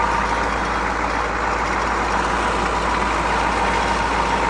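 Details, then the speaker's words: CUCV Chevrolet 6.2/6.5 diesel warming up on fast idle with good fuel and air filters: steady, even, smooth idle with no knocks, misses or surges, before reaching 94° coolant temperature when fast idle disengages. "if you got good fuel filter good air filter and you can see it's running nice and smooth you can hear it being nice and smooth"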